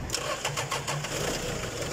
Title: Toyota forklift 1 ton 2005 year model engine hard start